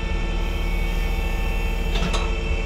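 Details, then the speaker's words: Skid steer running a Vacuworx CM3 vacuum lifting attachment: hydraulics switched on, pump fires up with a steady low even hum and faint hiss while building vacuum; healthy. "Start up, turn on my hydraulics. You hear the pump fire"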